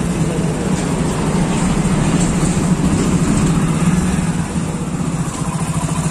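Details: Hero Splendor Plus single-cylinder, revved off load: even, unbroken beat with no skips or stumbles.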